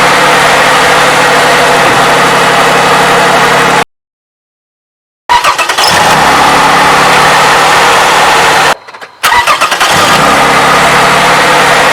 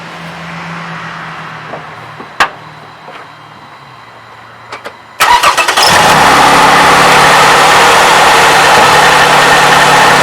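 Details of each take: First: 2007 Toyota 3.5L with 170,000 miles, idling after graphene oil additive treatment: smooth steady idle with no top-end ticking or tapping. Owner says he has never heard it so quiet. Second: 2007 Toyota 3.5L with 170,000 miles, cold start after adding graphene, camera close to the engine. Light metallic clacking under the fast cold idle, attributed to the valve timing advance (cam phaser) and fading once throttle is given. VVT actuator cold-start rattle.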